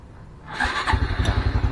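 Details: Honda Blade 125 FI, starter only clicking: with starter relay bypassed, starter spins briefly and engine catches at once into an even steady low thump; clicking starter relay found faulty, normal start and idle.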